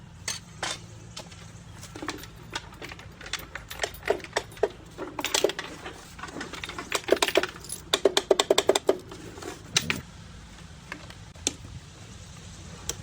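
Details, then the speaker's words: John Deere D140 riding mower, sat unused for two years: starter solenoid gets 12 V in and clicks sharply but passes no 12 V out and doesn't crank; suspected intermittently failing internal contact. "Right now, we're testing to see if your starter solenoid is working, which I'm getting 12 volts to it, which is good, and you can hear it clicking, but I'm not getting 12 volts through it."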